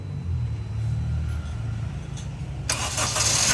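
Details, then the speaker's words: Honda Mobilio whose starter motor had been jamming or clicking, retested after repair and reinstallation with the battery at about 8-8.6 V while cranking. Cranking is quick and even with no clicks, and the engine catches: the starter now turns over cleanly. "Oke , sekarang sudah lancar. Insya Allah, ini aman."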